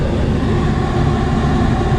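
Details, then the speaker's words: Bus ventilation blower just upgraded from a 95 CFM to a 500 CFM fresh-air unit in the inverter bay, relay-wired, test ramping to full speed: steady even rushing air, deep low roar, no knocks or rattles; normal operation. "okay it should start ramping up here maybe there we go got the blinking thing and our fan is running"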